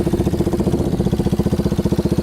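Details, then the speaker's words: Yamaha Warrior 350 quad on a test drive after a series of fixes: single cylinder thumps evenly and quickens cleanly as it revs, no popping or backfire, revs out completely; healthy. "But there's no backfiring. There's no popping. There's good power now. It revs out completely."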